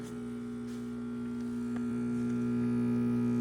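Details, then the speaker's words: MiiCoffee Apex V2 brushed stainless espresso machine, second (replacement) unit: pump gives a steady electric whirr and low hum that slowly grows louder, but draws no water, so there is no pressure and nothing from the brew head; unit being returned. "Nothing comes out of the brew head. Machine doesn't get pressure. You can hear something whirring, but no water's getting in."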